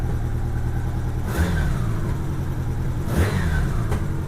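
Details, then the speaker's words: 1987 Honda GL1200 flat-four, after carburetor rebuild, choke fully off and warming up; idle with occasional sharp pops every couple of seconds, maybe slightly better but unresolved; intermittent popping, cause not found. "Yeah, it's popping a little bit still. Well, unfortunately, that did not solve the problem."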